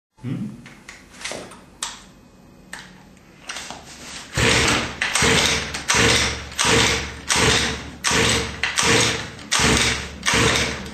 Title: 29cc head kit won't start